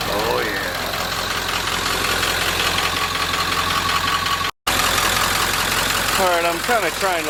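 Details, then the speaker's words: 1946 Ford, cold idle on first run out of shop, downsized radiator, coolant only cool-warm, nowhere near thermostat temperature: idle ticking over steadily, a little uneven at first, settling smoother; normal cold idle. "just listen to it it's smoothing out a little bit cool warm nowhere near the thermostat"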